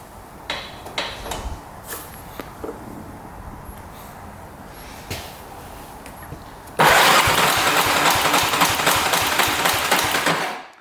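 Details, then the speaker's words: 2002 Yamaha Warrior 350 single cranking during a compression test, oil put in the cylinder, throttle closed: brisk, even cranking; compression reads 160, plenty to start. "Alright, that is amazing compression, 160. That's without throttle open. So as you can see, plenty of compression to start."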